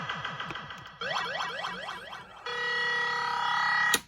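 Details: Williams System 6/7 Black Knight pinball sound board on a bench rig with volume pot, after new ROM sockets, socketed dead 6810, socketed 6821 and 6808, plays clean electronic chirps, rising sweeps and a steady held tone, no hum, crackle or dropouts; normal output.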